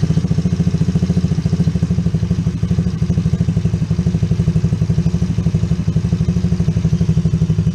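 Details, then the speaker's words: Coolster 110cc Chinese ATV with a new replacement carburetor, after turning the idle screw down: quick, regular putter at a settled low idle with no hunting or stumbling; normal idle. "Alright, I think that's pretty good. So I did need the screwdriver a little bit. The idle was set a little high, a little fast."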